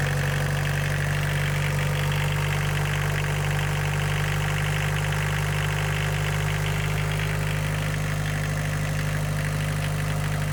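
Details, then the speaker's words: Boneyard diesel car cold-started on a 20°F February day after long sitting: even diesel clatter at steady idle with a little rev, no misses or surging; running normally. "Rev it up a little bit. Sounds like a diesel."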